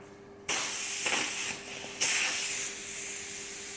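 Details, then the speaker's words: New Aldi CO2 inflator with control valve, O-ring pulled out and leaking: sharp gas hiss in uneven bursts that surges and drops; plenty of gas still left in the canister, the valve has frozen up with moisture and gone frosty. "No, it wasn't. Still plenty in there. It's just frozen up. So loads of moisture."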